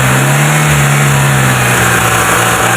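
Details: Proton Wira after throttle body cleaning, fixing low idle, stalling and no power: steady, fairly high idle, then clean revs settling without hunting or stumbling; running healthy.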